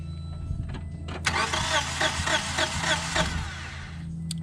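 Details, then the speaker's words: Subaru on compression test: starter churns in a quick, lopsided rhythm with one beat per cycle lacking push; cylinder 1 reads 150 psi but cylinder 4 has zero compression, gauge doesn't move; head gasket or ring issue suspected. "so yeah we have zero compression actually do it again once yeah gauge doesn't even move so definitely a bad compression well no compression in cylinder four"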